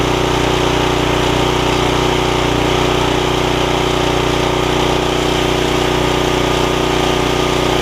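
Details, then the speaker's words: Snapper tiller with a 5hp Briggs engine, after fixing the stuck valve and pull rope and fitting a new carb diaphragm, with the jet opened back out: it starts right up and holds a smooth, constant buzz with no stumbling or hunting. "starts right up like that can't really beat an old tiller like that"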